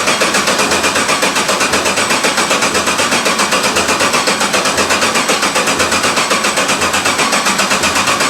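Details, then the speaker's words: 1991 Porsche 944 S2 with a swapped Chevy 6.0 LS L77 V8, first start in over a year on year-old gas after new injector O-rings and oil-line work: a steady, even idle with no knocks or misses. It runs healthy. "right now i'm pretty happy to finally hear it again it's been it was march of last year i thi"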